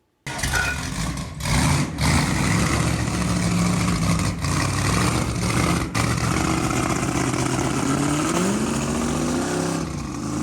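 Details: 1963 Ford Galaxie 500's freshly built dual-carb 390 Ford V8 bored to 397 (about 500 hp, compression likely over 10:1) on the run stand, carbs not yet adjusted: fires right up into a deep, even lope with clean rev blips; running fine, healthy and strong.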